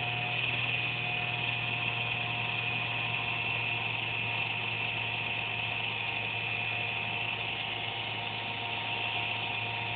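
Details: Computer under a desk making a steady high-pitched buzz with a fixed whine and low hum, randomly once or twice a day, performance unaffected; owner suspects the fan, unconfirmed.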